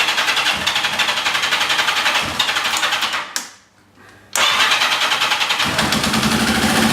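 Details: Yamaha XJ650 motorcycle, suspected sticky valve, transmission fluid squirted into cylinders, smoky: sharp rapid puffing ticks on each firing, a pause, then the same chuffing after restart; a leaking exhaust mimicking a sticky valve.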